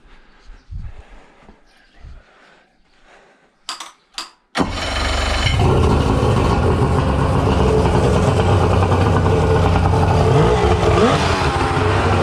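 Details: Suzuki DT65 two-stroke outboard with tilt and trim, previously non-running with bad backfire: a few quiet knocks, then catches on first pull with choke on and settles into a steady, even run.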